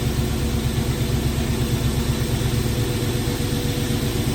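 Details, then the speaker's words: Chevy C20 after ignition timing set, found slightly too advanced, idle brought down, valve covers off: even, steady low rumble at idle with no misses, stumbles or hunting; smooth healthy idle. "that sounds good another experience let's bring our idle back down go awesome"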